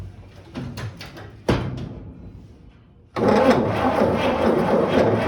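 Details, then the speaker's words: 1955 Chevy 3100 truck, long unrun, foot-switch starter: engine grinds over at a slow, uneven beat for a couple of seconds with no firing. Cranks, won't start; owner suspects the points need cleaning. "Oh my goodness, it turns over. Reckon it's got any fire?"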